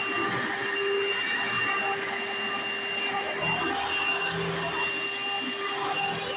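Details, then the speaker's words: March 1995 Hoover Encore Supreme U4261-930 upright vacuum, barely used, long stored: even high-pitched motor whine with steady airflow rush, no rattles or dips; one part is loud at switch-on, but running is normal. "this part right here makes a very loud noise when you turn it on but it's not nothing too big so here we go"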